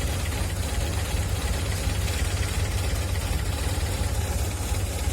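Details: Older Honda Civic (Grand Civic/LX) idling right after an oil and filter change with SAE 20-50, about 3 litres: steady low idle with a faint uneven pulse about three beats a second; slightly rough, which the owner puts down to age.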